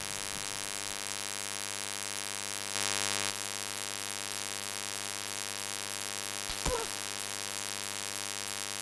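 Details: Steady low electrical buzz with a thin fizzy edge and a couple of faint clicks in ShadowPlay-recorded audio; unwanted hum of unknown cause, owner asking how to fix it.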